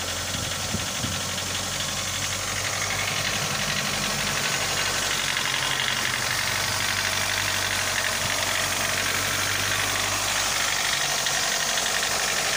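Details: Mitsubishi Lancer 9 1.6 engine: warm idle with a steady fast ticking knock about three a second over hissy background; no knock when cold, only slight shaking, knocking appears once hot.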